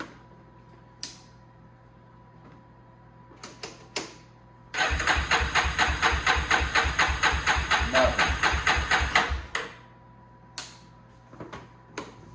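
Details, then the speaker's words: 2001 Yamaha Warrior 350 ATV after sitting, choke on, charged battery, fuel low and on reserve: about five seconds of even cranking that never fires; crank no start, owner suspects no spark. "Still not. Kind of sounds like it's not getting any spark"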